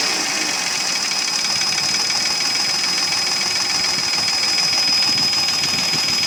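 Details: Mercedes ML320 with M112 3.2 V6 at idle with a hard, rapid metallic clatter about three knocks a second: piston slap, pistons loose in badly scored cylinders (engine not sleeved from factory).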